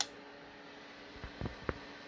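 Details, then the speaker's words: Messenger M1200 2x8 CB amplifier after repair, on SSB: sharp relay clicks keying, then a short pause before drop-out; normal hang delay set by a small capacitor on the transistor base rather than a 1,000+ µF cap. "These keying circuits, this style delay for SSB is a lot different than what you normally see with the way a lot of us do our sideband delays using 1,000+ microfarad."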